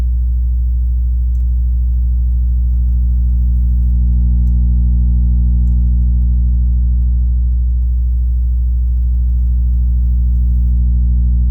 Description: Strange noise when playing 60hz sine wave with different volume